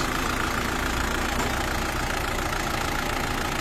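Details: Isuzu D-Max diesel after repair of low power, no-start and diesel leak: steady clatter at idle, even rhythm with no misses or stumbles; engine settles and runs smoothly, normal diesel idle.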